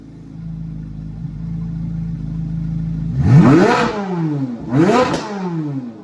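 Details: 2024 Carbon Flash Chevrolet C8 Corvette Z06 V8, reportedly with an MMX Forge stroker and max-effort cam, cold start in a garage: smooth, even fast idle, then two clean blips rising and falling quickly without stumble; normal, healthy engine.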